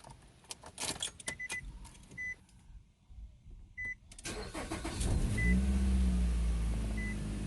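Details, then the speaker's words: 2008 Nissan Rogue after ignition coils and spark plugs replaced for P0300 misfire and codes cleared: door chimes, then cranks, fires cleanly and settles into a steady, even idle; earlier rattle gone, check engine light off. "as you can see the check engine light is gone and i'm telling you guys these sounds it sounds so satisfying normal aging uh the rattling sound that was there"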